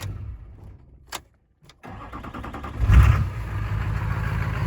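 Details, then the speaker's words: Duramax LLY diesel after fitting a set of new Bosch injectors from eBay, idling at the shop right after a restart: it cranks, catches and idles fairly evenly, and the intermittent clacking that returns after a few seconds of idle is absent here. "that it sounds quite a bit better. But here in a few minutes, like whenever it sits here and idles for a few seconds, it'll start clacking again like that."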